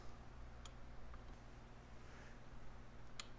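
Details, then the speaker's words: Bendix-style cable drum brake, braking in reverse: two crisp light clicks as the self-adjuster lever moves and turns the star wheel when shoes travel too far; normal operation. "the brakes and we adjust so when that shoes start to move too far the lever moves and we'll turn that star wheel"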